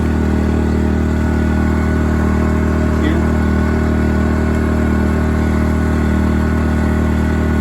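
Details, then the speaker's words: Inverter generator powering a window air conditioner: eco mode switched on and the engine throttles down to a steady, even low hum with no misses, using less fuel. "And we'll turn on the eco mode. You hear it throttle down. It's using less fuel."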